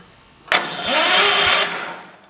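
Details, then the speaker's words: 1968 John Deere 112 garden tractor swapped to a Kohler engine; one short strained whir that sags and dies, no cranking; owner suspects the belt or variator needs adjusting, as it was set up for the previous engine. "it didn't even turn it over so whatever reason it's not turning it over I have my suspicions I think the belt just the variator just needs to be adjusted"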